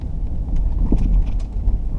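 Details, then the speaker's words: 2004 Jeep Grand Cherokee driven at 25–35 mph over small bumps: loose, hollow clunks and rattle from the front; owner suspects worn upper front shock bushings on the driver side before replacing them. "There it is. There's one. Here's another one. There, you can hear it real good. Clunk, clunk, clunk, clunk."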